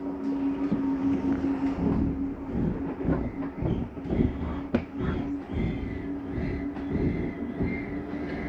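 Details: 2023 Flagstaff Classic 832BWS, slide-out number one retracting: steady motor drone with irregular light clunks, then the mechanism noise that means it is fully in; normal retraction.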